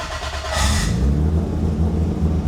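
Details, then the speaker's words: Fuel pressure at 44 psi; on starting the 1000+ hp MK4 Toyota Supra on ProEFI standalone ECU, engine catches and revs briefly then falters and dies within seconds, as the reversed fuel pump trigger shuts the pump off and pressure drops to 0. "So we're looking right here at fuel pressure. Right now we have 44 pounds, and when you start the engine, because the trigger is reversed somehow, the pump turns off."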